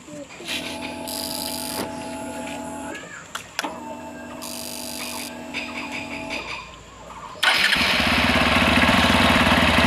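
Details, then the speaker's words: Hero XPulse 200 right after throttle body cleaning and reassembly: two whirring starter tries, then catches and settles into even steady run; throttle response clean. "तो accelerator सही काम कर रहा है एकदम।"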